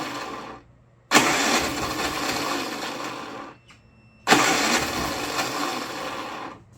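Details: Predator 3500 watt inverter generator, on choke, jumper pack as battery, eco throttle off: two pulls, each catches, runs roughly about three seconds, then fades and dies; won't run off choke, carburetor suspected.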